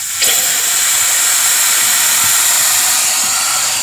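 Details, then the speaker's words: Diesel truck with hot no-start, air test on the driver's-side high-pressure oil rail, engine not running: steady high hiss of pressurized air escaping; number 8 injector O-ring leaking as weakest link. "uh the weakest link is the number eight so we got number eight uh o-ring leaking"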